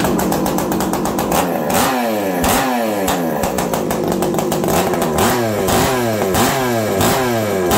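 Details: Farmertec 288 kit chainsaw, two-stroke, being checked for oiler problems and with a kill switch that had to be replaced. Revving hard and dropping back cleanly; the engine sounds strong and healthy.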